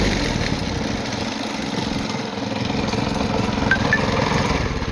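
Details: Vibratory plate compactor engine after service (oil change, new spark plug, valves lapped and adjusted): a small single-cylinder pulsing at a steady pace over the plate vibration, with no misfires, tapping or stumbling; normal running.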